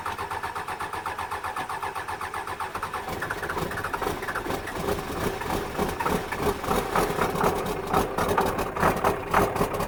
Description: hard start after rebuild, cummins